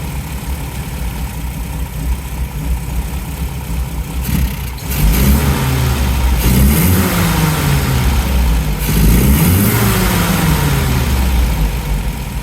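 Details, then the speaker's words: 1971 MGB GT after carburetor cleaning and fuel line clip replacement, first fire-up: steady, slightly lumpy idle with throttle blips rising and falling cleanly; exhaust smells rich, so jet height is being reduced to lean the mixture. "This one, and give the exhaust a bit of a sniff. It's still pretty rich, so I'm going to just reduce the jet height slightly."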